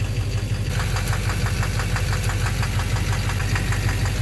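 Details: 2009 Chevrolet Duramax LMM dually diesel with an Allison transmission, idling. A sharp metallic knock about twice a second from the lower rear, where a part appears to touch on a tight fit. Cracked flexplate suspected.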